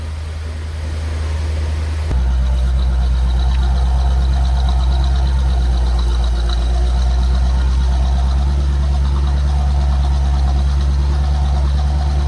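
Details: C4 Chevrolet Corvette after fixing an intermittent no-crank fault by rewiring: starts cleanly, then low steady burble with an even pulse and no misses or knocks; idles smoothly.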